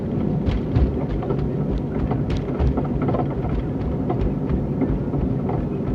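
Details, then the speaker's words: 2001 Cadillac Seville driving straight, not turning: heavy low thumps at irregular intervals through road drone. Clunk cause unknown; owner also hears grinding and suspects the wheel bearings. "I'm not turning, I'm just driving. I don't know if you guys can hear it."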